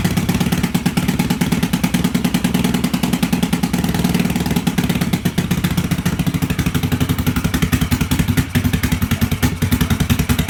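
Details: 1986 Yamaha XV750 Virago V-twin, first start after winter with Gen1 KJS single-carb manifold, old gas, dirty carbs, choke disconnected, cold: lumpy uneven idle with irregular popping and loose clatter; rough running from carburetion, needs cleaning and tuning.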